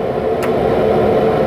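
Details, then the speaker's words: High-voltage high-frequency spark gap on a General welding machine after the points (platina) gap was adjusted: a steady, even buzz with no sputtering or dropouts shows the spark is jumping well. Normal HF spark gap discharge. "sudah pas settingannya jadi loncatan api nya sudah bagus ya guys"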